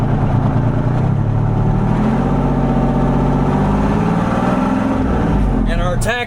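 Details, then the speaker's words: Revived 1973 International Transstar 4300 with a 12V71 Detroit diesel, parked since 1986: the engine climbs smoothly to its 2100 rpm governed speed and holds steady with no misses or knocks. Healthy; the running issue is believed sorted. "She's governed at 2100. That seems right."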